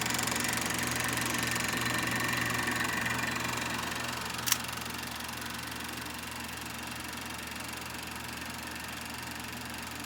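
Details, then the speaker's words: Kodak Pageant AV-126-TR 16mm sound projector running on motor with the lamp dead: an even mechanical whirr with a steady fast flutter of about three beats a second. The projector mechanism runs normally. "first you have to do is turn the switch onto motor and then to start first you got to do is focus and then and then it's operating it's working then you can watch your film"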